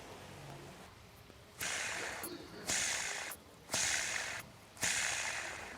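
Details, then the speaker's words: Hyundai Grand i10 engine rebuild, timing plate fitted, bearing checked by hand before fitting; four short gritty rasps as it is spun, rough dry race; bearing noisy inside, worn bearing, would make the engine noisy. "अब य bearing के अंदर आवाज है यह देखो जी मैं आपको आवाज सुनाता"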